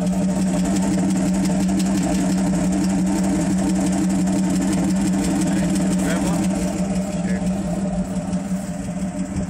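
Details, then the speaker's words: 1981 Jeep CJ-7 with a 1975 AMC 232 inline six, Pacesetter header and Holley 390 cfm 4-barrel, warm after a run, oil pressure only 5–7 lb: steady idle with fast, light ticking about three per second; lifter tick. "definitely know it's a six cylinder sounds good other than the lifter tab you can hear them pretty [Music] easily"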